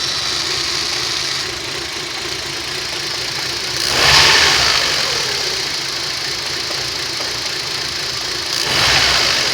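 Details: Rover 25 1.4 petrol, warm start: idle hunts and surges every few seconds with uneven hesitation between; fuel pump first suspected, rough idle traced to a faulty lambda (O2) sensor, fixed with a used replacement sensor.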